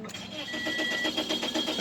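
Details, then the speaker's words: 2006 Toyota Corolla 1.8L, water pump replaced, original key inserted with security light still blinking; starter cranks at steady even rhythm but engine never fires; crank no start, immobilizer not recognizing key. "Will not start, light still blinking."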